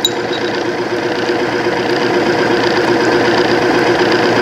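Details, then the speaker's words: Timken OK load test machine, arbor deliberately damaged then run warm with Cerma 10W-30 oil, two to four weights loaded; steady mid-pitched hum with faint even ticking, noise quieting down; smooth running under load. "and there it goes it's quetting down so three weights four weights"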